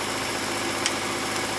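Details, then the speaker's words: Old oversized gas furnace on a no-heat call, inducer exhaust fan motor plugged back in: an even, steady motor drone with a low hum and no bearing squeal or wobble. The inducer spins up normally, with ignition glow expected next. "all right there goes the inducer motor"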